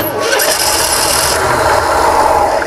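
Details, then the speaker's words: 1968 Chevrolet panel truck ambulance, fuel line disconnected, cranked to see if the in-tank pumps feed (lift pump only squirted when primed): steady starter cranking for about three seconds, never catches; no start, no fuel supply. "What I'm wondering is, if we crank it, we got the fuel line off right now. If we crank it, is it gonna pump any fuel?"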